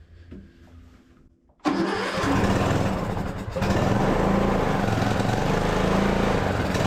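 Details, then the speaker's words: Craftsman LT2000 riding mower with a Nikki carburetor, sat a couple of years, oil level fine, choke on: it catches and holds a fast, fairly even beat but runs only on choke; the carburetor is being removed next. "Will not run on its own. Well, engine sounds good on here."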